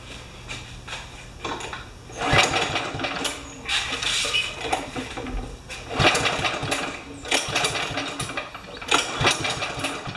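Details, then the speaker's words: Craftsman Kohler mower, dead-man bar tie-wrapped open, after the intake seal was tightened: uneven coughing and sputtering bursts before it finally catches and runs. Hard starting. "Sure did take a lot to get it going on."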